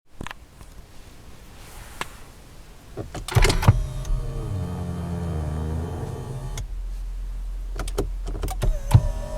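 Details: 2007 Lexus ES350: as the steering column automatically telescopes at start or shut-off, a few clicks are followed by a low, wavering groan for about three seconds. Manufacturer calls it normal; owner considers it a defect.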